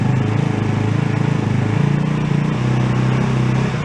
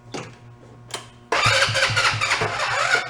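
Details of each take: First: Two-passenger CVT ATV, about 150cc, after sitting, serviced with fresh fuel, air cleaner loose, warming a couple of minutes: even low putter at idle, no misses, pops or knocks; idle probably needs adjusting. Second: Two-passenger CVT ATV, about 150cc, sat for a while, cranking with brake pedal held: starter turns slowly and unevenly, about three labored strokes a second, not catching; dead battery, put on charger.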